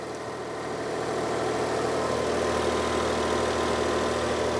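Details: 2011 Smart ForTwo 451 Night Orange edition just after fitting a new genuine Smart exhaust (A1324900015): smooth, even low idle settling quickly after start, no blowing or rasping; sounds better, normal idle.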